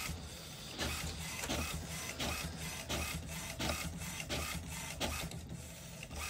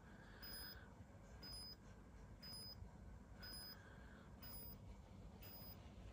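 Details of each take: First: HP Smart Tank 500/516 printer after head cleaning and ink charging for air in the pipes and blank prints: even printhead sweeps about every 0.7 seconds, smooth feed, no grinding or clunks; printing normally. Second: HP Smart Tank 500/516 printer during head ink charging after air got into the ink pipes: quiet high beep about once a second over a soft mechanical hum, no message on the display; ink charging cycle in progress.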